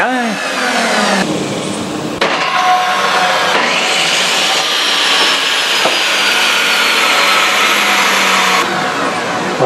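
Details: Ridgid table saw after armature bearing replacement and reassembly: motor winds up fast to a steady high whine with no grinding or rattle, bearings smooth, running normally.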